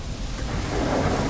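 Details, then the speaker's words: Whirlpool dishwasher that wasn't dissolving soap, after the fill line was refitted: now takes in about four times more water, up around the heating element. Strong, even rush of sloshing water with no knocks or grinding. Normal wash cycle. "we can hear that it's just a lot stronger sound"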